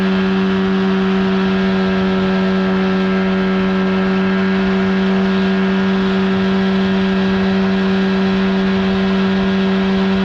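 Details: 1979 Evinrude/Johnson 35hp outboard at speed on the water, with insulation added under the cover, after a failure to reach wide open throttle: steady even drone at constant speed, clean pitch, no misses or surging; seemed to run perfectly fine.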